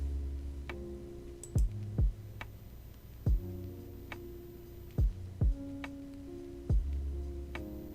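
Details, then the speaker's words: Ender 3 V2 with newly installed BIQU H2 direct-drive extruder/hotend, extruding flexible filament at 2 mm/s: quiet stepper hum broken by sharp irregular clicks about every two seconds; extruding very slowly, motor warm but not overheating; extruder clicking. "them so as you can hear it's not doing too good why aren't you working right it is extruding it's just ungodly slow"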